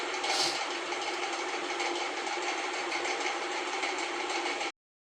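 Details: LG WF-T7066MN 6.0 kg washing machine spinning after its grinding gearbox was replaced with a new one: a steady, even whir with a light rattle and no grinding, so the drive now sounds healthy.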